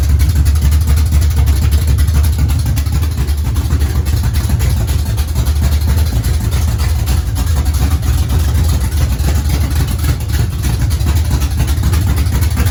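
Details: Race car engine at a settled idle, not yet up to temperature and running without a fan: steady low throb, even and unhurried, with no knocks or misses; engine idling normally.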